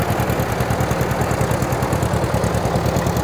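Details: 1940 Minneapolis-Moline RTU tractor, back running after sitting, with fresh plugs, fluids and stripped wiring and a tow start, in third gear: deep, even chuffing at about three beats a second, no stumbles or misses; running clean and healthy.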